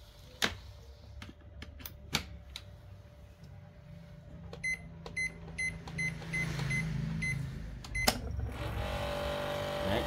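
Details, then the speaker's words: Rice cooker with H01 error and suspected failed sensor, powered on: a few beeps, then a rough, buzzing whir rises and holds steady; the cooling fan is worn and needs replacement, along with the sensor. "quạt kêu này. Quạt kêu như này là mình phải thay rồi."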